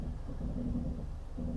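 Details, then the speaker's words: Genesis GV70 creeping forward slowly: low hollow moaning groan, likened to a sinking ship, rising and fading over a rumble; brake groan at low speed. "The brakes are quite noisy when you're just creeping along at slow speeds."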